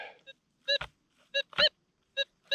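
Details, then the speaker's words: Metal detector gold nugget hunting in Arizona desert placer ground in July: short warbling tone bursts, five in under three seconds, each swelling as the coil passes over; two separate targets flagged. "something right there huh this rock something too small to hear after i moved it yeah off we go well this time we got two targets"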